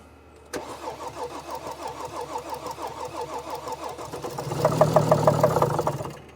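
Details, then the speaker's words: 2014 Mercedes GL350, 3.0 L diesel, customer complaint of crank-no-start or dying after a few minutes; recorded under the hood: cranks into lumpy, pulsing running about three beats a second, engine shaking badly, with louder surges; severe rough running. "So, you guys heard how this engine sounds. This engine sounds bad."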